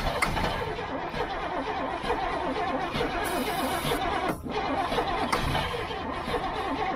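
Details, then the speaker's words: Old gasoline GMC bucket truck, starting fluid sprayed in: steady starter cranking for several seconds, but it turns over without firing; they decide it needs choking. Crank, no start. "um let me see if I got something to do with the gas hard oh we need to choke it yeah we need to choke it"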